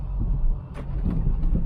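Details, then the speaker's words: 2009 Ford Mustang with aftermarket strut bar and cold air intake, running; deep engine rumble with a few sharp irregular bangs, owner suspects seat belt part, muffler pipe, shock or strut, cause not confirmed. "Hear the banging. It's got to be in the uh Oh, seat belt seat belt thing. It could just be the muffler pipe or something."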